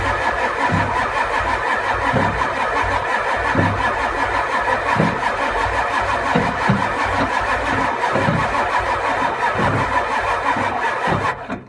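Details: 7.3 IDI diesel that won't start: starter turns it over in slow uneven pulses, roughly forty a minute, for over ten seconds, never firing; crank but no start.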